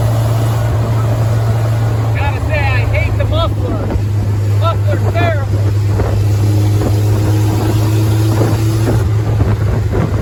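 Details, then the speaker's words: Willys CJ3B "Patches" with a recently purchased F-head engine swapped in after the old engine knocked. Deep, steady, tractor-like exhaust rumble at idle through the old muffler. Owner plans a different muffler and a linkage adjustment to lower the idle. "okay it currently sounds like a tractor with that old uh muffler on it so I'm going to see if about getting a different Muffler"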